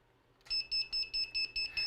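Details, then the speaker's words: Eachine AR Wing Pro flight controller running iNav: eight even high-pitched beeps, about four a second, when the flight battery is plugged in while USB is connected. The beeping is caused by the USB connection. "That beeping is because of the USB plugged in."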